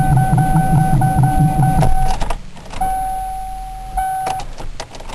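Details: Ford Crown Victoria sitting in deep snow at about 7°F, low fuel, primed before cranking: sluggish uneven cranking about three turns a second with warning chime; slow cranking, owner suspects the starter draws too much current and drains the battery.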